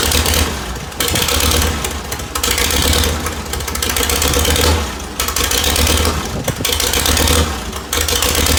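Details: 1948 Farmall C old four-cylinder tractor running after its stuck valves were freed: catches and runs with an uneven, surging beat rising and falling every second or two; may still need extensive engine work.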